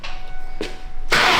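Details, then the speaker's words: Clapped Mustang Cobra bought for about $2,000 and brought back to life: short cranking with a pause, then catches cleanly and settles straight into a strong, steady run; starts fine. "Dude, I can't believe how good this actually runs. That's crazy."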